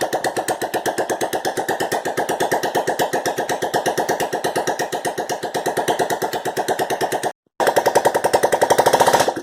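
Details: 1986 Honda Fourtrax 125, first run after top-end rebuild (new gaskets, lapped valves, valves set 5000 intake/8000 exhaust), no exhaust pipe fitted: loud sharp open-port barks at a steady fast rate, no knocking or missing, burning off assembly lube; normal running.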